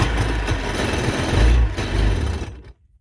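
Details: Watercraft with carburetor, airbox off and gas poured in, choke pulled, after priming: a rough, heavy low burble that stumbles and labors without clearing, then dies out; engine bogging, cause unconfirmed.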